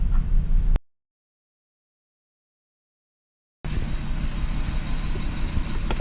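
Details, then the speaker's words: 1999 Lexus ES300, 1MZ-FE V6, 68k miles, codes P0300, P0301, P0304: uneven lumpy idle with a stumbling low beat about three times a second; an ignition analyzer confirms an ignition, not mechanical, misfire on cylinder one. "totally hear the misfire that's what the mfire feel like through a camera angles here"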